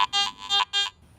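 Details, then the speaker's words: Garrett AT Max International in all-metal mode with iron audio switched on, coil swept over an iron nail: quick low-mid-low tone bursts flagging discriminated iron. "now switch iron audio on and listen to The Nail again it has a distinctive low medium low response that is unmistakably a discriminated iron"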